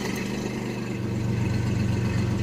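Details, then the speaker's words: 1994 Chevy S10 Blazer 4x4 4.3 V6 with 190,000 miles, warm at about 195-200 degrees, fires right up; steady smooth low rumble at idle, even beat, no knocks or misses; healthy idle. "she fires right up"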